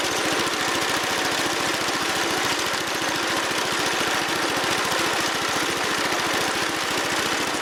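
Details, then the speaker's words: Wheel Horse Commando 800 sickle bar mower with a pull-start 8 hp engine, after replacing its old belts: the small single-cylinder engine chugs with quick, even firing pulses at steady speed. Normal running after repair. "Looks like we're back in business. Okay, got her fired up and got her in the transport position."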